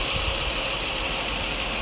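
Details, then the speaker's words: 2005 Honda Accord 3.5L V6 with P0455/P0497 evap codes after a purge valve replacement; at idle the purge valve stayed silent until pushed on, then ticked rapidly; intermittent purge valve clicking. "I just pushed on it and it started clicking. Yeah, it's clicking."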